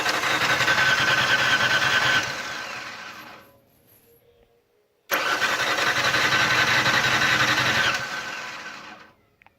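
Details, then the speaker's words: 2004 Ford Explorer 4.0 cranking fast and evenly, about four beats a second, in two bursts without ever catching; won't start despite a new fuel rail pressure sensor, cam and crank sensors, fuel pump, water pump and thermostat. "Yeah, 2004 Ford Explorer. It won't start."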